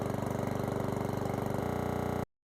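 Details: Certified 150cc lawnmower engine idling after an oil change: quick, even putter with a steady beat for about two seconds, then a clean cut-off; no smoke, running fine.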